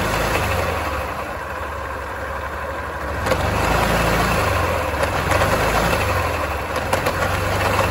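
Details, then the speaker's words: Yamaha Grand Filano scooter, jerks pulling away: uneven tapping knocks from the belt-cover side over the running engine; failed inner final drive bearing, attributed to leaking final drive seal losing gear oil. "รถคันนี้มีอาการประมาณว่าเวลาเราสตาร์ทเครื่องยนต์เนี่ยเวลาเราจะขับออกตัวเนี่ยมันจะกระตุกๆๆมันจะมีเสียงดังบริเวณฝาครอบสายพานนะ"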